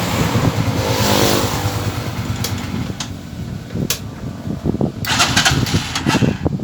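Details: Euro 150 single-cylinder motorcycle after a hard-starting fix: it fires up and settles into an uneven but catching run with some handling clicks, then keeps running normally.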